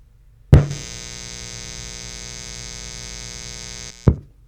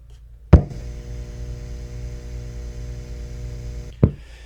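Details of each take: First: Amplifier powered by the ETaker M2000 power station's AC inverter: steady low mains-type hum with a fine buzzy edge, slightly more noise than on grid power but not dramatically more; partial pass. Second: Old guitar amp with no grounding pin or noise suppression, plugged into grid power as a baseline: a click, then a steady low buzz with faint overtones for about three seconds, then another click; the slight expected mains hum.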